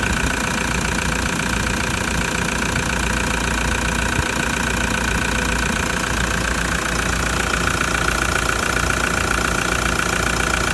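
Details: Older, noisier diesel engine idling cold: rapid, even clatter at steady pitch with no misses or odd knocks, normal injection noise; normal cold diesel idle.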